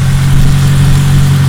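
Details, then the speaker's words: Idle after addressing a suspected leaking fuel injector, with cylinder 1 having been misfiring: smooth, steady low hum, even beat, no hiss or stumble; normal idle. "i don't know it's better to me i don't hear the hissing at all it was far from that injector dude"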